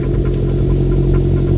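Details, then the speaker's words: Suzuki Jimny after fitting a Redback manifold-back exhaust: a steady, deep, even throb at idle with no misses or knocks. Healthy, fuller exhaust note. "That actually sounds sick already. That sounds wicked."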